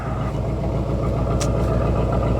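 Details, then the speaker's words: 1986 Chevy Camaro Z28 V8 at idle: a steady, even beat with a raspy, higher-pitched exhaust note instead of a deep rumble; the engine runs normally, and the owner dislikes the exhaust tone. "I don't like the exhaust note. It's just a little too high. I like a little bit deeper rumble"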